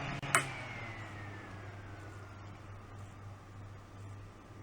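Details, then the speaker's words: Fan powered by a Back-UPS 450 in battery mode with stepped-sine output: a click, then a low hum as the fan's whirr drops in pitch and it nearly stops, while a Kill A Watt still reads 116.7 V. "The fan almost comes to a stop. Yet the kilowatt says we're still running at 116.7 volts."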